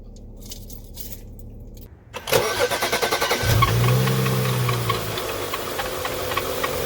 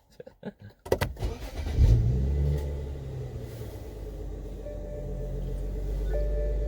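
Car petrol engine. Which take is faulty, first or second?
first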